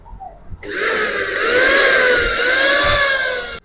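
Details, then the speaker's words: Pigeon mixer grinder motor with worn bush, run after a little oil was applied: high-speed whine with slightly wavering pitch, fairly smooth; oil quietens it only temporarily for 1-2 days; worn by water leaking from the jar; bush replacement needed. "Jar నుంచి water leak అయ్యి motor మీద పడి ఇక్కడ తొందర bush అయితే అరిగిపోతూ ఉంటుంది. దానికి sound అనేది ఈ విధంగా మోటార్ సౌండ్ అయితే రావడం జరుగుతుంది."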